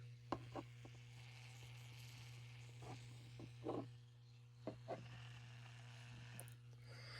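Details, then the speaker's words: GE/Telechron clock rotor taken from the clock and powered on a test coil: steady coil hum with a dry grinding rasp from the spinning rotor, which should run silent; it needs reoiling. "It's a a kind of a grading uh sound and that's not what we want. Uh these things were buil as being silent when they were made."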